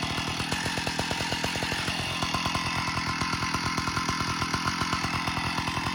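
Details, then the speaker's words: 056 AV Super chainsaw with the clutch removed, at idle: fast, steady metallic rattle tied to the engine beat, coming from the engine; an internal cause is suspected but not confirmed. "okay back again this time we've got the clutch and everything off so i'm going to start up again and see if it's still making that horrible noise [Music] it is coming from the engine"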